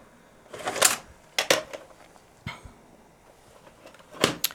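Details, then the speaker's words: Toshiba RDXV50KF DVD/VCR/hard-disk combo, VHS deck after brushing out dust: repeating bursts of clicks and short motor whirs about a second apart as the tape mechanism cycles without loading; problem persists, slightly better after several insertions, cause not found. "the VHS section still has this problem but I put the tape in a couple of times and it seems to be a little bit better"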